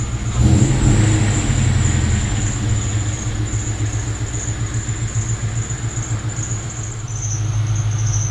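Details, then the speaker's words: 2002 Mustang GT 2-valve V8 at idle: a piercing constant high squeal over the idle throb from the accessory belt drive, which persists despite a brand new tensioner, idler pulleys and alternator. "as you can clearly hear the two valve terror behind me is sitting there squeaking its ass off with its brand new idler pulleys and brand new tensioner brand new alternator and bunch of other stuff but it just continues to squeak"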